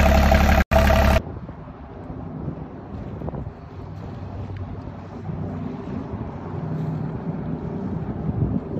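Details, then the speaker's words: Ranger Tug 21 EC Volvo Penta diesel, first start of the season after fuel filter change: loud opening burst, then a low, even rumble holding steady without stumbles or misses; engine running normally. "alright so it's the shakedown cruise here so we got the motor running no problems everything's looking great on our Ranger 21"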